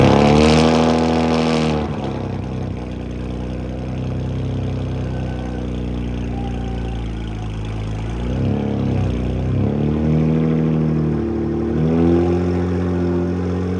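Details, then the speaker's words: Freshly built BMW 335i N54 twin-turbo six (MMP 53/53 turbos) on first-startup break-in, oscillating 2,000–2,500 RPM to seat piston rings; smooth fast beat swelling and easing, no knocking or ticking; normal break-in revving. "All right, guys, doing that break-in right now. I got the timer going. We're doing 15 minutes, maybe 20. I think I'm gonna go 15. Oscillating from 2,000 RPM up to 2,500. This really just seats the piston rings in."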